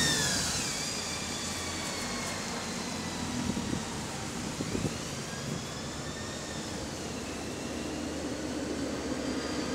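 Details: AL DW310 bus on route 466: loud high gear whine sweeping up and down with road speed over engine drone, whining transmission gears.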